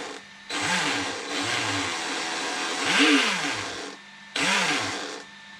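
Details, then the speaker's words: Traxxas X-Maxx 8S RC truck with broken pinion gear and shot inner wheel bearing found, motor throttle bursts: whine rising and falling with rough gritty edge; motor noise, owner suspects bad motor bearing. "it sounds like a bad bearing in the motor so something happened to the motor so i know the motor bearing was acting up"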